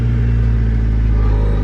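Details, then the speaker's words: Project car on jump box, starting right up: fires straight away and settles into a steady, quiet, smooth low hum with no misses or knocks, no smoke, wind noise outdoors; normal start-up. "started right up that time but look how smooth this motor runs if you can hear over the stupid wind it's so quiet i'm so smooth"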